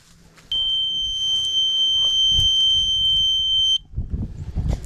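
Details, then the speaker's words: Septic high-water alarm on 120 V with a float switch: a loud, shrill steady beep for about three seconds. The pump failed (owner suspects the impeller, after a failed check valve), letting the water level rise and lift the float. "it's got a little float switch and if that float switch goes up this thing lights up pretty bright and very loud beep and that's what it looks like"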